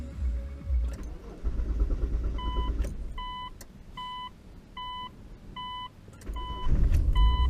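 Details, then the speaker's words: Magna after fuel filter replacement and bleeding the fuel lines: low, even idle with no stumble or miss under a repeating three-tone chime; no misfire, running smoothly as normal. "it seems to be all successful it's not misfiring it seems to be running quite smoothly and nicely as it normally would"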